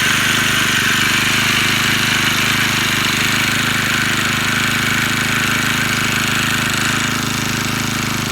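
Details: Four-stroke brush cutter after replacing its carburetor; before, it would not rev, thumped and died at idle. It now buzzes at a high, steady pitch with no stumbling, running smoothly.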